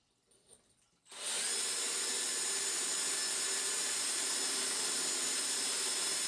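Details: Drill with a diamond-coated bit boring a glass bowl for a DIY lamp, water held around the bit: drill spins up to a steady high hiss and whine with no chatter or catching; the bit is cutting the wet glass normally.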